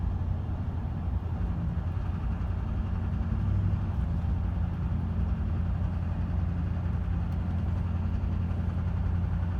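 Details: 2005 Chevy Silverado 2500 6.6 Duramax diesel idling with a faint intermittent recurring knock over the clatter.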